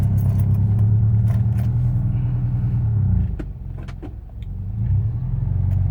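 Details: Proton Inspira engine just fired cold: uneven lumpy idle with irregular knocking beats that dip and stumble midway, suggesting cold misfire or knock; fine once warmed up. Cause suspected, not confirmed.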